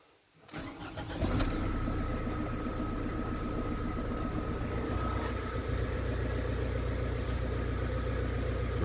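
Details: Ford Transit Connect diesel, cold engine, restarted after sensor change: cranks briefly, catches cleanly and settles into steady even idle without hunting; healthy cold start.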